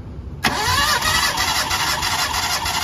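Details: Mitsubishi Lancer with a misfire, suspected of loose compression; dry compression test with spark plugs removed: the starter spins the engine at a steady, fast whir with no catches; cylinder 1 reads 175 psi, even compression.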